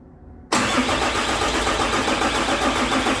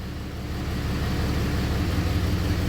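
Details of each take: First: 6.7 Cummins hotshot truck during injector repair, cranked manually with a cap over a port to check for movement: steady rhythmic chugging about 200 beats a minute, never fires; something assembled wrong, cause not confirmed. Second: 6.7 Cummins hotshot truck, probably a 2017, injector kill test after injector replacement: deep steady diesel rumble roughens and dips as each cylinder is cut; injectors 1 and 2 now make a big difference, so they are firing properly.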